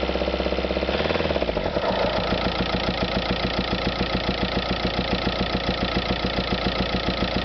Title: VW Passat TDI weird engine noise